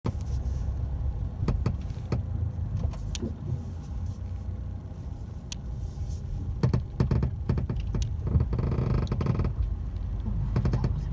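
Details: 12-month-old 2018 Mercedes A-Class: irregular sharp creaks and ticks from the rear seats in their upright position when reversing or driving over bumps and uneven ground; silent when folded flat; no visible damage.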